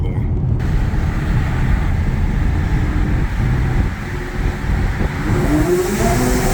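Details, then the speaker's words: Audi A6 3.0T with test pipes and a new Gibson 55106S anti-rasp muffler, hard acceleration through a short tunnel: deep full roar with no raspy buzz; big improvement over the earlier rasp. "and I don't know if you guys can tell the difference on camera but that is a huge improvement from all the rafts that I was getting before so liking it so far"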